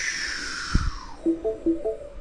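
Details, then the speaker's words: Old car's A/C just after switch-off, mic held near the evaporator: a falling hiss like a deflating balloon, then gurgling chirps; refrigerant leaked out and air got into the system, so the freon is low. "that is air in the system. That means that refrigerant has leaked out and air has gotten in there and it's making that noise."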